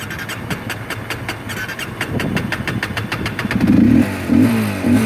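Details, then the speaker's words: Hard starting on a Honda CRF250L that stalled in stop-and-go traffic about 11 miles after filling its 2-gallon tank with 89-octane fuel: slow rhythmic starter cranking under two beats a second, then the engine finally fires and revs. "like literally it's crank it would like want to go oh"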